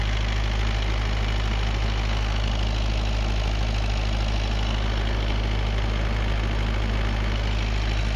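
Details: Perkins naturally aspirated diesel 20 kVA generator set with Leroy Somer alternator, bi-fuel (diesel plus recycled vegetable oil), during servicing. Steady, even drone at constant speed with a regular low pulse and no load changes: normal running.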